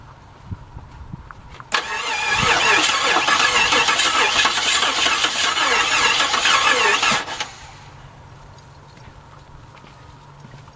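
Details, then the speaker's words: 1989 Jeep Grand Wagoneer 5.9 V8, sat outside almost 20 years, starter fluid sprayed into the carburetor: steady starter churn about five seconds with ragged catches as it tries to fire; confirms spark, first little start. "i'm gonna say have spark boys oh oh she's trying she's a trying there you go first little start"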